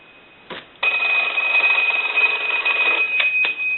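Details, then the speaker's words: AE Monophone rotary desk telephone after repair, ringer tested in final checks; bright, rapid bell ringing in steady bursts with clean gaps, striking evenly and sounding healthy. "we're done with our troubleshooting i'll go ahead and ring the telephone i'll let it go one more time"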